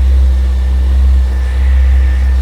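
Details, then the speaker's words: Honda Blackbird CBR1100XX after repair and reassembly, FI light off: steady even low idle with no knocks, misses or ticks, settling straight away with no oil pressure issues; healthy idle. "She's all running lovely. There we go. So we'll call this one done."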